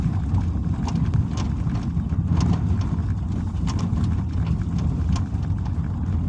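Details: Suzuki SX4 at 90,000 km on gravel: irregular light knocks from the front left over road rumble. The hood was rattling because its left rubber bump stop near the fender sat too low; raising it stopped the knock.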